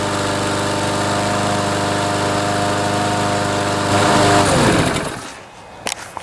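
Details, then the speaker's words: Craftsman mower with Briggs & Stratton 6.75 Series engine, fitted with a new carburetor and air filter: at full throttle a steady but low drone that never climbs, then winds down; not reaching full governed speed, fixed by bending the throttle linkage spring loop. "you can hear on full speed it's not quite revving up as much as it should so this is what we do to fix that"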